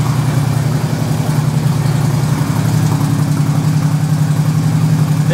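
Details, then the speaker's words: 2008 Harley-Davidson FLHT Electra Glide Standard, just after first cold start following winter storage: lumpy potato-potato V-twin idle, steady and even with no knocks; healthy. "it is running like a true Harley let's see how it sounds"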